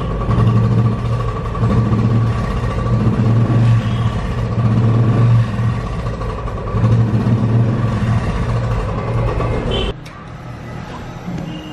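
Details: Royal Enfield Classic 500cc single, after a small adjustment trick for its starting and missing problem: deep, even thumping about three and a half beats a second, idling smoothly without missing.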